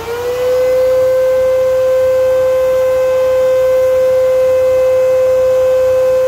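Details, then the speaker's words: Old Kenmore vacuum with its floor brush head engaged: loud, steady high whine holding one pitch after spin-up with no beater-bar thrum; the brush roll is broken and bound up with hair, not turning. "this broke that's right see that this broke this is what started this this broke this doesn't turn got bound up"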